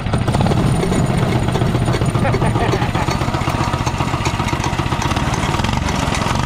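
Small single-cylinder engine popping along steadily at a quick idle, slightly uneven but running on its own without stalling.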